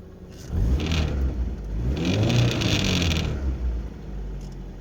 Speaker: ВАЗ 2110 довёз газку. Что-то вот жжит вот тут.